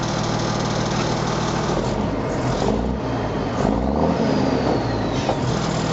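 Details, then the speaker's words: M35A2 Deuce and a Half diesel truck at idle after fitting an Aero Turbine AT3535XL muffler, camera angled toward muffler: steady low idle, much quieter with a deep throaty exhaust growl; cab rattles now audible; healthy. "and now um at idle it's it's much much quieter but there's that throy"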